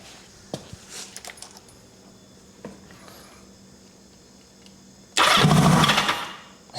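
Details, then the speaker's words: 1980 Kawasaki KZ750 four-cylinder fires briefly on the starter and dies as soon as the start button is released, with a second short catch after; fuel apparently leaking from the fuel line; owner suspects wiring, red lead unconnected, spark unchecked. "it sounds like it's firing right up, though. Then I let go of the start button and we lose it."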